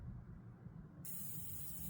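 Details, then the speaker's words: Mini split system: a fitting is loosened briefly to let refrigerant push the air out of the line. Quiet, then a sudden steady high hiss about a second in. Normal refrigerant purge hiss. "hear that? That's the refrigerant. We let out any air now, and that section is gone now."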